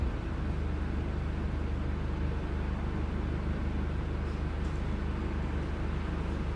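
Low, steady engine rumble with an uneven, stumbling beat and occasional dropped pulses, consistent with a misfire.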